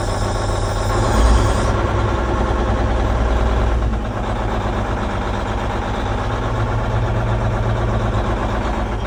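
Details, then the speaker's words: Versatile 2360 tractor with Cummins N14 diesel rated 360 hp, idling; uneven lumpy beat about four times a second, cab shaking, belts squeaking; injector suspected sticking or not working. "He said it's got a sounds like it's got an injector that's sticking or not working correctly and it's got a kind of mess to it."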